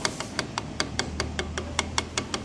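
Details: 160 motorcycle engine with a cylinder-head and valve noise. Sharp, even metallic ticking about five times a second over a faint engine hum, from play in the rocker arm pin and needle bearing; valve clearance is also being checked.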